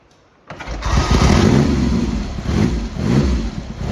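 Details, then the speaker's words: Triumph Hurricane X75 triple, rebuilt carbs just refitted, cold start: tickled, half choke, no priming, holding a bit of throttle; catches first kick and settles into slightly lumpy, throaty run on choke; normal cold start. "First kick. Just holding a bit of throttle there. We're not on the throttle stop."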